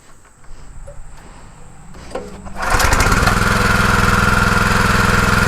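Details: Pressure washer with rebuilt Annovi Reverberi XMV3G25D pump (new front oil seal and bearings), adjustable pressure regulator, first test run: quiet handling, then engine catches into a steady even drone with strong pump hum; runs normally.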